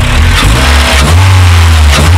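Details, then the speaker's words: Honda Civic EP2 widebody: deep even engine note climbing with revs under a loud intake roar, no knocks or rattles; the airbox makes a big, sometimes too loud, difference. "yeah it makes a lot of difference it can be a bit too loud sometimes but you know you can get there obnoxious but yeah that's the fun of it isn't it"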